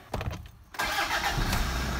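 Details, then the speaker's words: 2006 Toyota Fortuner after new fuel filter installed: short crank, fires on one click and settles into even idle, no fuel warning lights, no leaks; normal start. "Yun, one click pa rin. Wala namang ilaw, no fuel lights."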